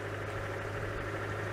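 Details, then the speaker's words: Oltcit Club 11R petrol, bottom-of-range model driven from Poland about seven years ago, first start off trailer: low, steady idle hum with even beat, no knocks, misses or surging, very smooth; normal idle. "so that's what an ultimate sounds like we finally know yeah it is very smooth"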